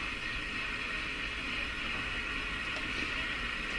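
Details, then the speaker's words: Northern Electric Model 8508 tube radio: constant high frying hiss with occasional crackles; owner thinks the power switch is in big trouble, arcing inside. "Ooh. Ooh, what was that? Another zinc. Yeah, I think the switch is in big trouble here."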